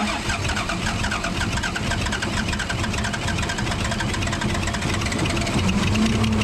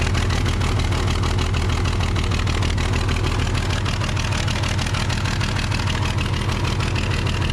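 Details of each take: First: Case 855D loader, 12-valve 5.9L Cummins, idling before opening injector lines: lumpy uneven chug with stumbling beat; misfire from a bad injector causing power loss and overheating. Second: Case 855D loader, 12-valve 5.9L Cummins diesel, after tightening another injector nut to about 50 ft-lb, which stopped bubbling: steady even idle clatter, regular firing, no misses or knocks.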